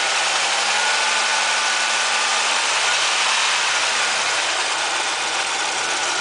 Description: Like most 3100/3400's, mine has loud top end noise when cold, most of the time it will go away when warm, mine does not, but it is not as loud, it has been doing this for years.